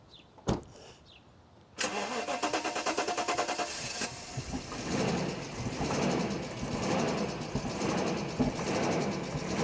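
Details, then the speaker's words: 1998 Mercedes S420 (W140) jump-started with a booster pack on an old battery: after firing, the idle surges and stumbles about once a second; rough running. "We may, if it doesn't sound any better, we may have to. That's the crappy run again."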